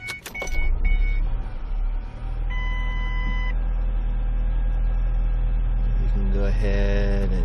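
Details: 2006 Ford Escape Hybrid, auction car, after no-start repair and before PCM calibration update: dash chimes, then a low, even engine hum holding steady with no knocks; engine runs smoothly.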